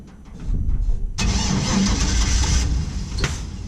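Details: 1949 International KB2 with GM LS swap, E38 ECU, fuel over a year old in fuel cell: starter churns steadily, a few weak catches but engine won't run; old fuel suspected, possibly air intake suffocating it.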